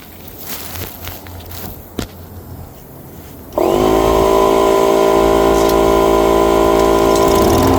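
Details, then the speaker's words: Mower unused 4–5 years, with 5-year-old gas, starts after compressed air was blown through the fuel line and carburetor; after handling noise it fires and settles into a steady, even drone with no misses or surging, running healthy. "Oh my god, I'm never cleaning out a carburetor ever again. Only thing I did, took some compressed air, took the fuel line off going to the carburetor, blew the air through the carburetor."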